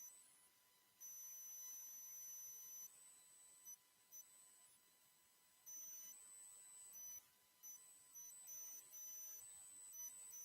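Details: Microphone squeal on a livestream: thin high whistle cutting in and out in bursts over faint hiss; the problem was thought fixed the day before, and the owner wonders whether a fan or his hearing aids cause it. Cause unconfirmed.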